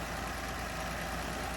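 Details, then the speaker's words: Slant six Dodge Dart sitting since 1992, alternator removed, possibly running hot: soft, steady idle like a sewing machine, even hum with no knocks or misses; normal idle. "it is like a sewing machine it is it is like a sewing machine that's unbelievable"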